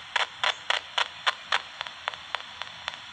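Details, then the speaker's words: Homemade "Frankenstein" motor running on solar, battery or supercapacitor power, platform tipped to take the brush point out of contact; crisp, evenly spaced ticks, nearly four a second, over a faint hum; normal reed switch opening and closing. "that's the reed switch going off and that takes away the friction from the brush point and all you're hearing is the reed switch opening and closing"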